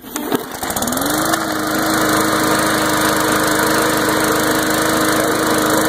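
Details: MTD Briggs and Stratton lawn mower that would not start, now cleaned: it starts on the first pull with a short rise in revs, then a steady even drone at constant pitch, catching cleanly and running healthy.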